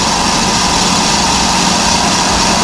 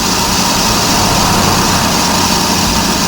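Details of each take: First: Electric trailer brake drum being resurfaced on a brake lathe, cutting the rusty braking surface; constant, even cutter hiss with no rhythmic chatter or pulsing: drum turning true, smooth even cut. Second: Electric trailer brake drum being resurfaced on lathe, rusty braking surface: steady scraping hiss of the cutter with slight rhythmic skipping each turn over a deep low spot needing two or three cuts; interrupted cut on deep spot.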